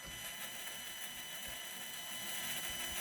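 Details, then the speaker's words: Redcat Ascent crawler on 3S with new Holmes Hobby Crawlmaster Sport 550 motor and Proline tires, slow throttle: smooth high motor and gear whir with no clicking. It previously stalled and was loud; the driveline is now much quieter. "It's way quieter. Your drive line's way quieter."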